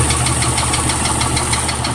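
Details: 1997 Jeep Cherokee at idle with deep, evenly spaced knocks, roughly six or seven a second: rod knock from a worn connecting rod bearing.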